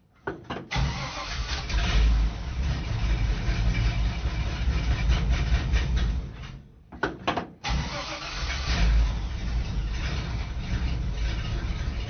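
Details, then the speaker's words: 1966 Chevrolet C20 pickup, cold start after several weeks sitting in cold weather: it cranks, catches and runs unevenly, stumbling near stall about seven seconds in before recovering; rough cold running, cause unknown. "All I want to hear it crank off, and now, yep, we have it. We have the light in an otherwise dark, cavernous, cold. Okay, it's not that bad. Let's find out. Oh, she's not happy though."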